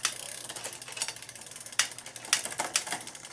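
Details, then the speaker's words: Old Cannondale back-pedalled cross-chained on the small front ring: rapid light ticking and clicking. Mild chatter, but it spins fine. "you can do it as you can see it's turning it spins backwards no problem it just makes a little noise"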